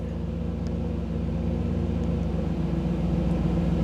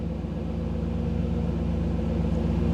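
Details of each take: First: 1985 Camaro IROC-Z TPI V8 with a new engine, idling warm with a steady low rumble; idle drops from about 975 rpm to around 750 rpm when the OBD-I scan tool stops streaming data. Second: 1985 IROC-Z Camaro TPI V8 at a steady, smooth idle raised to about 975 rpm while an Actron CP9690 OBD-I scan tool streams live data; it drops to about 750 rpm when data streaming stops.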